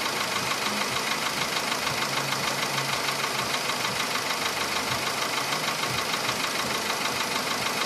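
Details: Steady, fairly regular knocking over the idling VW Polo Sedan engine, clearly above the engine hiss. The knock appeared faintly at about 61–62 thousand km and has sharply worsened by 67 thousand km. Cause not yet found.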